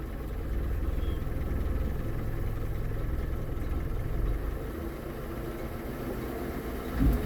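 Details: F200 starboard outboard engaged in reverse under added throttle: low steady idle, then a sharp bang as the engine shakes, suspected to be a secondary engagement in the lower unit. Cause not confirmed.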